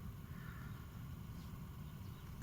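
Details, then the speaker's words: 2013 Kia Rio 3 heater blower fan, after removal, dust cleaning and lubrication to cure squeaking on first speed: soft, steady low hum, barely audible, no squeal. "ходит там вертится крутится вентилятор"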